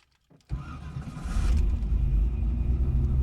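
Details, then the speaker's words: 2002 Pontiac Trans Am WS6 after the starter repair, not fully warm: brief crank, engine catches and settles into a steady, even idle; starter engages cleanly with no zing, fixing the pinion no-engage fault. "So I'll let it run for a minute or two. I'm not gonna go drive the car, so I don't want to get the full temperature. But let's start it one more time for the sake of the video."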